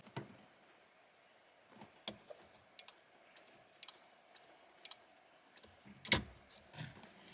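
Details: BMW E30 flasher relay gives sharp dry clicks at uneven gaps instead of a steady tick. Poor contacts inside the relay are suspected; it was cleaned but still showed the same problem.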